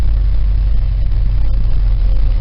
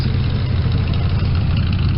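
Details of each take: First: 1968 Cadillac V8 on a cold start, on choke: very low, loping idle; warms up to about 700 rpm; cause of the low choke idle not yet found. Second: 1972 Chevy small-block V8 with dual mufflers, cold start: deep, even, mellow burble idling around 550 rpm with no misses or knocks; healthy.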